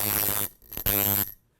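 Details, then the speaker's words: Coil tattoo machine on 6 volts after angle and contact gap adjustment: two short runs of deep even buzz, steady slow beat, no rattle; tuned as a slow, slappy shader; less spring tension would hit harder. "And you have a slow and slappy shader. And if you want it to hit a little bit harder, take a little more tension off."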